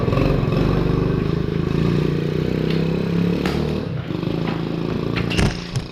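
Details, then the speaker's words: 1974 Honda Trail 90 (CT90) single-cylinder, sat since 1984, revived with new battery and starting fluid, still in gear, idle set low; even steady putter with no misses or knocks; normal running. "listen to that listen to that baby purr guys oh it's still in gear need to bump up the idle a little bit"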